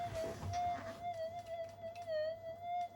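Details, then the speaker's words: Minelab metal detector after a capacitor repair, on a bench as charging equipment, lights, test bench and soldering iron switch on. A steady whistle near 700 Hz with wavering hiss. Electromagnetic interference noise. "this is all my charging equipment turning on a little bit of noise come"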